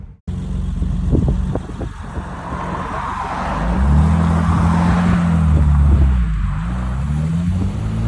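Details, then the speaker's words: BMW E30 Cabriolet after extensive restoration, fresh oil change, 48 miles since work, not quite up to temperature; smooth, even hum at idle swelling gently as revs rise, no knocks or ticks: normal idle. "yeah she's not quite up to temperature but when she is we just listen to it a little bit more"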